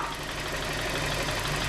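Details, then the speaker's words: Hyundai Getz 1.4 after rebuild with new pistons and pins: light fast tapping over steady idle, following engine speed; knock reduced but persists, most likely from the oil pump gears. "вот все слышно и вот туда разница очевидна и так можно подвести вообще вывод конце вы уже поняли что стук он так и не пропал он так и остается он стал только лишь меньше сток идет с масляного"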